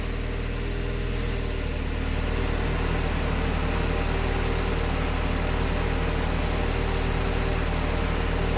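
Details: Warm engine idling smoothly with an even low hum and steady pulse, no misses, knocks or hunting, while the repaired coolant system is tested under pressure for leaks after missed gasket material at the back of the block was fixed; healthy idle.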